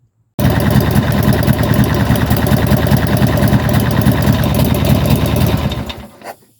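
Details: Harley-Davidson with a new battery installed and spark-indicator plug wires fitted: engine catches at once and settles into a lumpy, even V-twin idle of about three beats a second before shutting off; healthy start.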